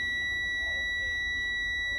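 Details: Commercial truck cab during a CDL-training pre-trip inspection, with the key turned on to check the gauges before the air brake test: a steady high-pitched cab warning buzzer holds unbroken for about two seconds.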